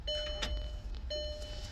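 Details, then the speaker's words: VW Passat wagon (2006 or 2007) with intermittent stalling and no-start, key-on fuel pump prime: two short, even one-second whirs. Pressure now reaches 80 psi versus under 20 before. Normal fuel pump prime. "All right, so we're in the car looking at the fuel pressure. Just gonna put the key in, let the fuel pump prime."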